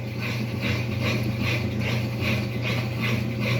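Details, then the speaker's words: Mabe 21 kg washing machine after repair of a blocking fault with a flashing start/pause LED: a steady low pump hum with soft rhythmic swishing two or three times a second; it runs normally, and the pump stops when paused. "the flight pauses and s and listen to the pump at the time of the cause the pump is deactivated"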